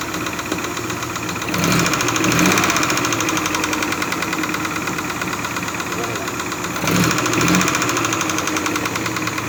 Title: SUZUKI F5A DEFECTED CAM SHAFT KNOCKING SOUNDS